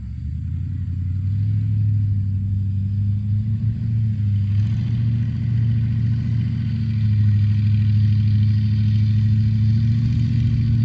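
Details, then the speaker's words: Ford Crown Victoria, old, run only on stale gas drained from junk, driving slowly under load: a low steady moan over the engine from an awful-sounding power steering pump; a hose underneath also needs pulling out. "hear that power steering? Yeah, that power steering's awful."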